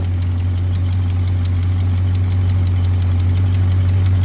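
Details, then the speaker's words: 1985 Chevy C20 V8, sitting over 10 years, just revived: steady deep rumble with light even ticking at constant beat; idle smooth and settled, running healthy, though fuel pump leaking. "It sounds good. I'm gonna let it run for a minute."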